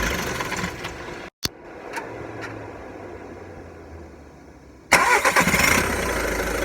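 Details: VW Golf 1.6 TDI diesel, 90,000 km: quiet clicks, then engine fires into rough idle with uneven metallic rattle after start-up; dual-mass flywheel suspected but unconfirmed.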